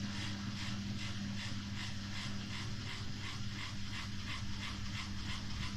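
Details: Samsung WW5300 washing machine (WW95T534CAE), outlet unit on its second use, loud from the beginning; loud low motor hum with steady rhythmic rattling clatter through drum rotation, cause unclear; loud operating noise.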